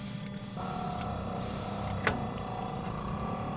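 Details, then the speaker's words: Portable airbrush compressor (rated up to 40 PSI), after airbrush swap since moisture trap was suspected of blocking: steady hum rises to higher even tone when spraying starts, one small click; normal airflow. "there was something wrong with that uh moisture trap I think it was blocking I switched this airbrush it seems to be working"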